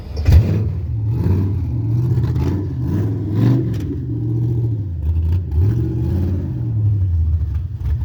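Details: Carbureted 5.3 LS swap in a Mustang with MSD LS-series ignition: a low V8 rumble hangs high and surges up and down instead of settling. It starts and dies with a fast, unstable idle; carburetor, timing or vacuum leak suspected, cause unknown.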